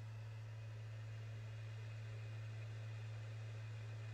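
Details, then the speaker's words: PS5 Blu-ray drive copying game disc data to SSD after securing the loose side panel that caused the rattle: only a smooth low hum of the disc spinning, no rattle or buzz. "more noise no more rattling sound only the smooth sound of disc spinning inside the blu-ray drive"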